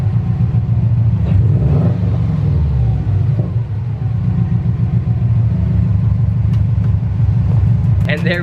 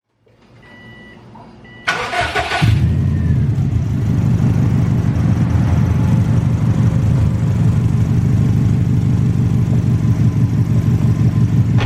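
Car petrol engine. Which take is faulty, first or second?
second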